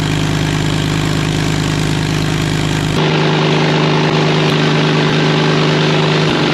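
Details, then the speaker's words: 1939 Caterpillar D4 diesel (D4400) being turned over by its gasoline pony motor: pony motor drones steadily, note drops as it cranks the diesel, but no firing catches; fuel stopped flowing because main-tank fuel supply was left off. "I was bleeding fuel ever everything was going we were starting to build fuel pressure and then all of the sudden no fuel's coming out anywhere"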